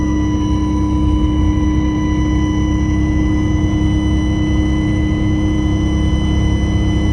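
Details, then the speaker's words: GM bus on the road down I-5, new pronounced high-pitched whine, heard before but quieter, over the heavy engine drone; not the speaker, owner suspects alternator or power steering, to be checked by a mechanic; high-pitched whine. "yeah i got a new high-pitched wine coming out of this thing i mean i remember hearing it before but not that loud it's pretty pronounced i unplug that speaker it's not that sounds like an alternator wine um"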